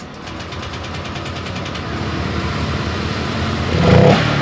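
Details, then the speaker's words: Honda Vario 125 scooter, throttle blipped from idle: pickup feels heavy and hesitant, stumbling off idle with response gone at initial throttle; attributed to weak fuel pump pressure starving the injector, tested by spraying fuel in directly. "oke mas bro secara otomatis saya tarik tuas gas seperti ini responnya terasa berat banget responsifnya habis"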